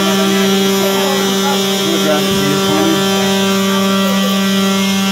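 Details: Apartment building fire alarm sounding a loud, continuous buzzing tone at one steady pitch that never lets up.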